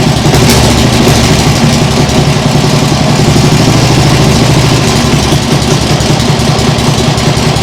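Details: Nibbi G619 walk-behind tractor single-cylinder engine after carburettor work: loud, steady thrum with an even beat and no stumbles; a vast improvement, though an occasional hiccup may remain.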